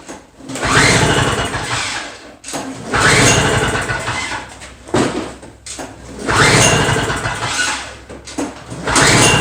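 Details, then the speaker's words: Two-stroke Toro snow blower, fuel in tank, key on, primed, full choke: repeated pull-start bursts about every three seconds, rope whir and brief turnover, never catches; engine won't start. "yeah i'm questioning that guarantee i'm not sure it's going to start after all let's try a halfway joke"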